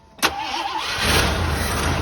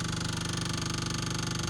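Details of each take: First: 1984 Jeep Wagoneer, carbureted engine, cranked after the choke high idle was knocked off. Brief crank, then catches and settles into a steady, low, even idle with no misses or knocks; starts and runs normally. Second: 1984 Jeep Wagoneer at key-on with the engine stopped: a loud, fast, even ticking buzz of about eighteen pulses per second from an electric fuel pump that someone fitted at some point, heard before cranking the engine.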